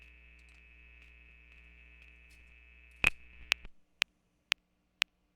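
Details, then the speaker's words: DIY Twin-T Drummer synth, snare/noise mix output: a faint steady low 60 Hz mains hum under a thin whine, with evenly spaced trigger clicks. Q1–Q3, capacitors, diodes, resistors and the 4011 chip have been replaced, and the TL78L05 is not yet changed. "but there's that hum there's a really loud hum now even the noise works right"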